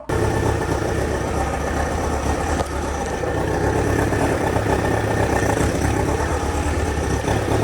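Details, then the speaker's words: 2000 Kawasaki Ninja ZX-7R 750 after no-crank repair, carbs likely dirty, just started and still warming up, small leak noted: even, steady low idle with low thrumming beat, no misses or knocks; normal idle. "So right now Sound like a low idle. Course. You might need to warm up a little bit more."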